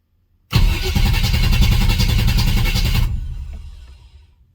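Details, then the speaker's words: Chevy 355 small-block V8 in Chevy S10, after head gasket repair from over-advanced timing, battery charged: cranks steadily about two and a half seconds, no start even with starting fluid, so not fuel; crank no start, no spark. "things first let's try a little starting fluid if it hits on that we know it's fuel [Music] all right so it's not fuel"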